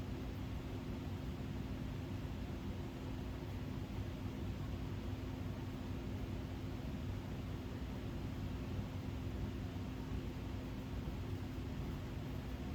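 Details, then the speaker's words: 1987 Gulf Coast Naples 56-inch three-speed ceiling fan by Kontrust on high speed, only about 170 RPM versus roughly 185 expected; steady low hum, slow fan, owner suspects capacitor wearing out; bearings make a little noise. "High speed here, we're probably only doing around 170 RPM. Quite a slow fan."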